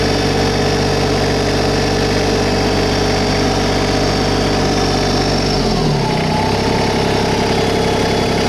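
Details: 2022 LS MT125 compact diesel tractor, about half an hour on it, just fired up: steady diesel rumble at raised idle, revs ease down around six seconds and settle smoothly, no knocks or misses; normal idle.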